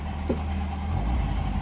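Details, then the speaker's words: Car on an ECU with no cold start map, not yet up to temperature: deep, even idle with a slight cam lope and no top-end tapping. Running a little rich until warm, but idles nicely. "You see it's a little bit rich there, but um that's cuz obviously until it gets up to temperature, it doesn't know what's going on."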